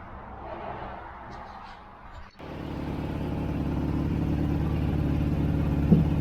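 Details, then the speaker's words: 1965 BMW R50/2 motorcycle after carburetor cleaning, started second kick with no choke after about three years sitting; twin catches and settles into steady even idle, no misses; normal idle. "But this thing literally just started second kick with no choke after three years of sitting or so. That's awesome."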